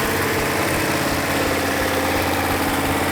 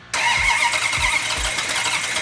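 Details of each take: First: Freshly rebuilt numbers-matching 426 Hemi (Phoenix Cuda) just after first startup with timing and carburetor adjusted: loud, lumpy but even idle with regular firing and no skips or pops. Exhaust felt by hand for misfires; all 8 cylinders firing equally. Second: Numbers-matching 426 cubic inch V8 on its first start, fuel in the carburetors and oil pressure up: cranks and catches with a few heavy, uneven thumps, then runs rough and lazy at idle; ignition timing set too retarded.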